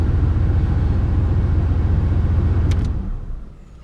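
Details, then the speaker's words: 1980 Pontiac Turbo Trans Am, turbo 4.9 L, about 82,000 miles, cold engine just off high idle: a steady low rumble with a regular pulse of about 220 per minute and no knocks or misses, then fading; the exhaust sounds good, a normal cold idle. "engine is cold so it's it just came off a high idle exhaust sounds decent yeah exhaust Zounds good engine's cold like I said"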